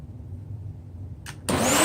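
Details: Hoover TurboPOWER 5000 canister vacuum from 2003, factory condition with new front and rear motor bearings, bags and filters removed; click then smooth rising whine during raw fan airflow test, healthy motor.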